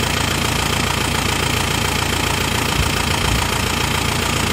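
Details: Isuzu Panther New Hi Grade (Kotak) diesel, radiator topped up with coolant: even, steady clatter at idle with regular rhythm, no misses or heavy knocks; normal idle for this engine.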